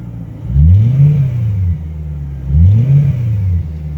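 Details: 2008 BMW E90 M3 throttle blips: deep rumble rising and falling with an odd extra noise; owner doubts rod bearing issue, suspects possible exhaust leak, unconfirmed.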